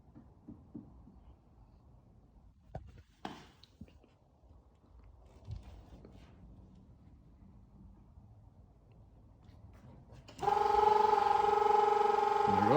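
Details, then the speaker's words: Nissan 370Z rear-mount single-turbo build, ignition on, fuel pump prime triggers an adjustable time-delay relay: quiet clicks, then a steady electric whirring hum as the turbo oil scavenge pump runs; working as intended. "we go, and as you can see, time delay relays turned on, and as you can hear, scavenger pump's on, scavenging the oil."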